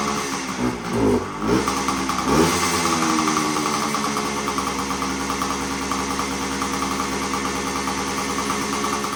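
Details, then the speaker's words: 1975 Suzuki TS125 two-stroke, stored for a while; previously broke up past half throttle. After turning in the air screw, warmed up: a few sharp throttle blips settling to steady crisp idle, no misfire or stumble. "just have to turn in the air screw a little bit to get it to run better so it's running pretty good right now"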